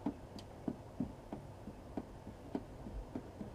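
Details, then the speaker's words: Becker BM24 audio amplifier module from a BMW with intermittent sound loss on rough roads: faint irregular crackles and pops, about three a second, as the shield is flexed, from cracked solder joints on the board; fix is resoldering them. "You can hear the sound. So to fix this problem, it's very easy. Basically, you just need to resolder these cracked joints here, here, here, here, here, and maybe here."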